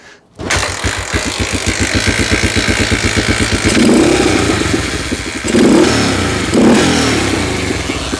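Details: Honda XL250R bought cheap, first start attempt; the fuel pump squirts and the single fires at once into an even popping idle, then takes a couple of clean throttle blips; it starts and runs fine.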